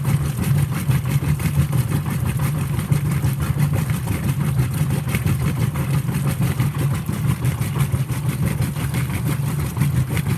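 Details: Whirlpool WTW5300SQ0 top-load washer after a new timer was fitted, small load, warm water, normal regular cycle, high agitation: low rhythmic churning as the agitator swings at a steady pace, no knocks or grinding, normal agitation.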